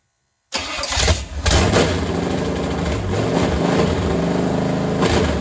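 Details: Freshly assembled small-block Chevy V8 with new cam for Model A hot rod, on stand, first start with temporary open headers and carburetor: brief crank, even lopey idle, no knocks; healthy first start.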